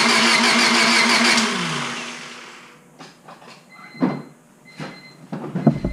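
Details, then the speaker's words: Honda Civic Si after rebuild, distributor and valve cover installed: starter cranks about two seconds with steady whir, never catches; no spark, about 0.2 volts measured at the igniter module while cranking. "Alright, so that's giving me basically nothing, like 0.2 volts or something like that. Basically nothing at all."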